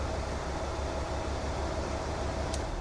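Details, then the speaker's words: 1980 Cadillac Coupe DeVille, 6.0 L 368 V8, idle after an oil and filter change, oil pressure light out; low even hum with no ticking, knocking or stumbling, normal idle. "Okay, just gonna let her run. I'm gonna listen to it, make sure she's happy."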